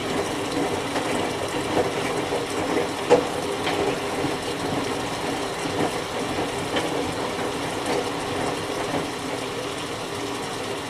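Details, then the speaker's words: Whirlpool Duet Sport front-load washer after oven solder-reflow repair of its control board, which had thrown an F-1 error (main relay) at high-vibration final spin: steady watery churning and sloshing with even pump hum, no knocks or grinding; washing normally. "it's gonna wash for a couple minutes and then rinse and spin all that stuff"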